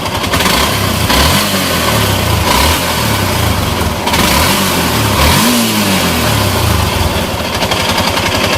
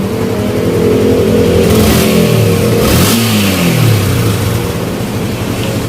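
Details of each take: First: Yamaha Exciter motorcycle before engine repair: idling and revving with a loud, harsh mechanical clatter over the exhaust; several parts were replaced and it ran silent afterward. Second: Yamaha Exciter motorcycle after engine repair (crank bearing, parts replaced, throttle return cable renewed, new header pipe, ECU box fitted); runs smoothly, revs up and down cleanly, quiet with no knocking or rattling.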